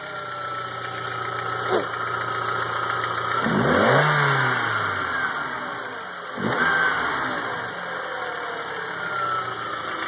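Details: 2000 Jetta, AEG engine: petrol engine blipped up and back down with a light, fairly steady tick over the engine note; ticking came up recently, cause unknown.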